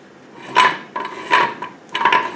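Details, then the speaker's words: Gearbox being stripped, turned by hand with no engine running: scraping rubs come in bursts as the shaft turns; a bent synchro hub is suspected, though the rubbing may only be the hub moving on the spline. "well maybe it's not Ben maybe it's just mr. Langdon oh that's right it's just mr. land on the spline I thought he was bent"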